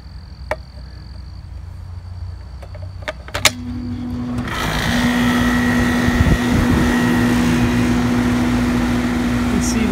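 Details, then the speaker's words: 3-ton central air conditioner with a soft starter, running on a Briggs and Stratton portable generator through a transfer switch: outdoor fan spins up first, then the compressor kicks in a second later with a steady hum; normal start. "easily started that had no issues starting that whatsoever now let's go take a look at the generator"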